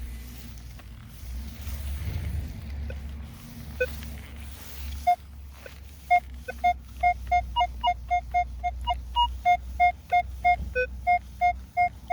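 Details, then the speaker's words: Minelab Equinox 800: low rumble, then short clean beeps about three per second. This is a clean repeatable target signal even though the VDI number bounces; it was dug and found to be a deep target about eight inches down. "now we got a repeatable signal here you can see the vdi number bouncing back and forth there that's okay normally there's some people that would pass that up because of that but since that is a clean repeatable signal i'm gonna dig it"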